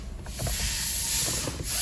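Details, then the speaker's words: Toyota RAV4 on first test drive after rebuilt transmission install: steady hissing scrape under the engine as it pulls away and doesn't let up, like brakes dragging; brake drag rubbing noise. "we're gonna take this thing up the road slightly I hear the brakes rubbing pretty bad we're just gonna see how it feels real quick"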